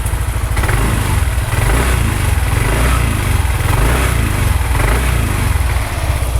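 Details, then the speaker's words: Motorcycle engine at idle on Mesran B40 diesel oil mixed 50/50 with cooking oil, BP 92 petrol: deep, even single-cylinder thump, no knocks or rattles; owner judges it smooth. Normal idle. "suara mesinnya kayak gini ini halus atau kasar ya silakan nilai sendiri kalau menurut nulisnya suaranya termasuk alus ya"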